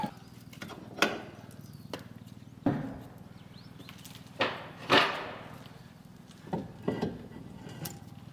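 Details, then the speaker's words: BMW E30 original rear differential, rocked by hand; irregular hollow clunks with about half a millimetre of play, differential bearings totally loose. "Okay, so it seems that the bearings in the diff are totally loose for some reason. There's like half mm of play if you can hear and see that."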